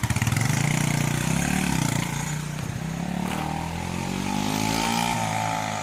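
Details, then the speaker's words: 41-year-old Honda XL125S single after undoing a valve adjuster thought to be seized: even thumping idle, roughly three beats a second, with none of the earlier popping or missing; normal idle. "That definitely sounds better. There's none of that popping and missing, I don't think."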